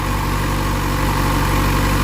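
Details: Motorcycle after repairing burnt, melted connectors, probably caused by resistance from corroded connectors; steady, even low idle putter with no stumbles or odd noises, wires not getting too hot, running smoothly and healthy.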